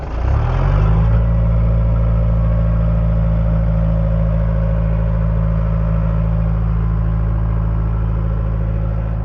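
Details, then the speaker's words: Caterpillar 943, reportedly late 1980s: with the turtle (throttle) set, cranks briefly, catches at once and settles into a steady, even low diesel rumble with no misses or knocks; normally starts first try. "You want to make sure that your turtle is there, set, and normally on the first time it cranks right up, no problem."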